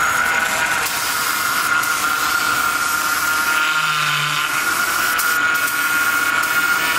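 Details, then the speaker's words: 2007 Chevy Impala just after power steering pump, pressure hose and belt replacement and refilling: steady high whine at one pitch over the running engine; air in the system, to be cleared by driving. "right so that noise that you hear is the supposed in a pump when it's nothing to have air in a system and make that Wow rapidly whatever you want to call this out"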